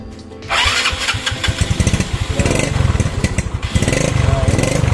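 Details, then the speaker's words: Yamaha Mio scooter hard to start, as if carburetor flooded; started on electric starter since kickstarter is broken: with vacuum slide lifted by hand it fires first crank and settles into steady putter; stuck carburetor vacuum slide. "Dan saya menduga penyakit itu ada dalam kekosongan. Vakumnya sama sekali tidak meningkat ."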